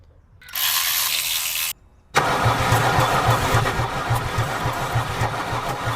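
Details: Mercedes 300D diesel that sat in a field about three years, water in fuel system: short starting-spray hiss, then steady cranking that never fires; suspected water-contaminated diesel preventing firing, not flooding.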